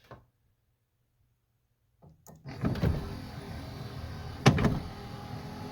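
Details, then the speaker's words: 1979 Lincoln Continental passenger front power window after repair: short smooth motor hum, no grinding or clicking; taking slack out of the half-moon gear makes it run a little quieter. "taking that slack out of that Half Moon Gear makes this thing run a lot quieter"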